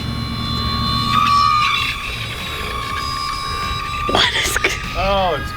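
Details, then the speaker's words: E-flite UMX A-10 Warthog with twin brushless 28mm EDFs, flyby after it started sounding grinding, scratchy and whiny: the thin fan tone wavers and drops away, rough and weak; the pilot suspects he is down to one motor. "Oh, it sounded like you lost it for a second. It does sound like I'm down to one motor now, doesn't it?"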